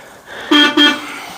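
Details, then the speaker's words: 1950 Ford F1 horn, not working since a rewiring project, now wired up correctly; two short, clear honks with a strong steady tone, no rasp or dropout. "all right so first one of those things is in this horn which hasn't worked since we started the rewiring project I finally got it wired up correctly"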